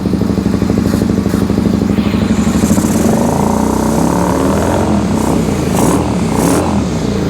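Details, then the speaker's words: 2001 Suzuki SV650S V-twin, running only on the front cylinder, with choke and starting fluid: uneven, lumpy beat with missing pulses and stumbling rhythm; misfire, one cylinder dead. Carburetor found overfueling past the needle, drowning that cylinder. "let's fire it back up now you can like I said you can you can definitely hear it running on one"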